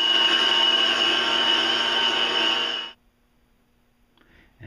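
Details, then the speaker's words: Scrapyard electric motor for a home-built cyclone dust blower, before bearing re-greasing: a loud, piercing high whine with a fast ringing pulse that runs down to quiet. The bearings are dry and worn; the motor was possibly dust-flooded, but the bearings weren't rusty. "ran I think it's been flooded at one point which is why ah but the bearings weren't Rusty so I'm not sure flooded with dust certainly some sort of wood shop"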